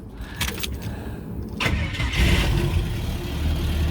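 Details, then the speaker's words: Ford XG ex-police divisional van with AU Ford catalytic converter fitted and oxygen sensor installed: brief crank, catches, settles to a steady, much quieter idle with a light rev; smoke gone, idle still not perfect with a slight smoky leak. "Ooh. Nice and quiet. Let's give it a bit of a rev. Much more quieter."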